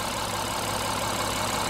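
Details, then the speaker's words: 2016 Honda Pilot 3.5 L after fixing P2652 rocker arm oil pressure switch fault: smooth, even idle with steady low drone, revs cleanly, no knocks or misses; repaired. "great I rev the engine the engine revs great the idle sounds good this is what I was expecting okay based on how this engine sounds I can tell that it's fixed"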